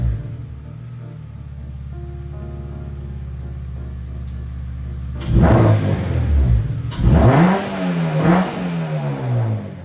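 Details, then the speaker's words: K24-swapped 8th gen FA5 Civic Si, just fitted with an Rtunes cold air intake and throttle body coolant bypass: steady low idle, then quick throttle blips with a loud, clean intake roar; healthy induction, music in background. "hi guys as you just heard very loud even just a slight blip of the throttle you hear that throttle body opening and all that nice induction sound"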